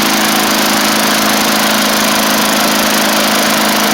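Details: 1990s MTD Yard Machines push mower, old-style Tecumseh primer engine, after moving the throttle cable/screw in so it throttles up better; loud, steady high-pitched buzz at constant governed speed, no surging or stumbling, normal running.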